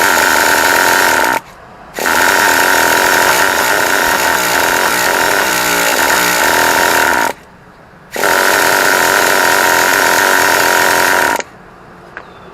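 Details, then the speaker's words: Traxxas T-Maxx 2.5 nitro RC, used, fifth failed attempt, primed with fuel flowing from carburetor and exhaust, 20% fuel, 1-2 mm carb gap; high buzzy starter bursts of several seconds, never catches: cranks but won't start. "I'm not losing my patience but it should at least turn on I mean I'm trying to do everything in a right way"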